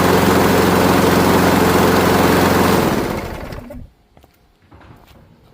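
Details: Craftsman Gold mower, Briggs Quantum 6.75 engine, low on fuel: steady even putter with no misses for a few seconds, then winds down and stops; started slow then came up to speed, choke fine; healthy.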